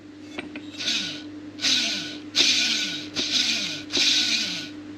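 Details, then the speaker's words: Holden VR Commodore tailshaft centre bearing, removed and hand-spun: gritty, rasping roughness, about five turns in five seconds. The shaft had vibrations, noises and a thumping on take-off, with movement in all joints. The worn centre bearing is being replaced (part DCB1004). "Now this was a combination of vibrations and noises I had through the shaft, so just have a listen to this centre bearing"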